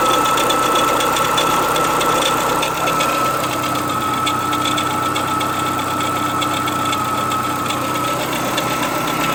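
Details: Renault Clio 182 petrol engine at 67k miles, with belts changed on schedule, idling with a fast, light ticking and a thin steady whine from near the top left-hand pulley; the owner suspects an early dephaser fault, though it sounds unlike the usual dephaser noise.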